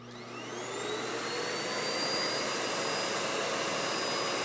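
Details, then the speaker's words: Hoover Windtunnel Anniversary Edition S3670 canister vacuum switched on, power brush not yet on: motor spins up with rising whine, then holds a smooth, quiet, steady airy hum without rattles; healthy motor. "And it's very nice and quiet."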